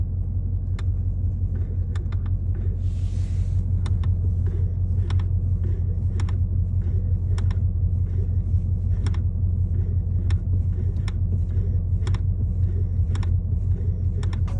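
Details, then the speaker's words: 2024 Ford Mustang GT, about 3k miles: sharp light clicks, sometimes double, on brake pedal press and release over a low engine rumble; others say this is normal, possibly from the electronic brake booster, not confirmed. "I'm getting this really weird clicking sensation or clicking sound when I press the brake pedal release it'll click and sometimes it clicks twice it's this really odd sound"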